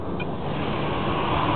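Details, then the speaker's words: 2000 Chevrolet Blazer 4.3 V6, semi-cold start with gauge reading cold: soft even hum with no knocks or stumbles; idles smoothly, runs great. "4.3 Vex uh Central P run smooth as silk"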